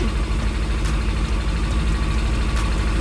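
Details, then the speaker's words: Suzuki Bandit 600 after a carburettor rebuild to cure a misfire, carbs being balanced: low, uneven, loping idle instead of a smooth hum as the carbs run out of sync with each other; air mixture screws still to be set. "so they're all off quite a bit so let's get all these sink up and ready the rock and roll"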